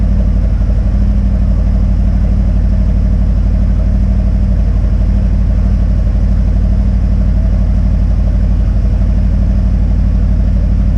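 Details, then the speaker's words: Harley-Davidson Street Glide M8, stage one with tune, intake and Screamin' Eagle slip-on exhaust, owned about 3 years: cold start after sitting all night. Loud, steady potato-potato thump at about two beats a second, even and clatter-free; normal healthy cold idle. "It's going to be a cold start. It's been sitting here all night long, so it's not warm at all."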